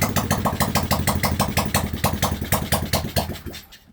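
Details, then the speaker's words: Cheap monkey bike, first run after reassembly with the oil-filled exhaust left off: lumpy, uneven firing around three beats a second that stumbles and stalls, slightly smoky; needs throttle/carb adjustment, owner hopes smoke is just oil cycling through. "Just about. Need a little bit of throttle carb adjusting. It is a wee bit smoky."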